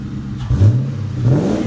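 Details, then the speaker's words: Mustang with newly installed exhaust and polished tips, revved at the rear: deep exhaust rumble swelling sharply on a quick throttle blip and dropping back cleanly; healthy rev, nothing abnormal. "So, I'm going to give it a rev while she's holding the camera so you can listen to hear what it sounds like."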